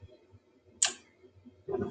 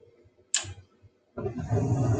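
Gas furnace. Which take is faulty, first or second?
second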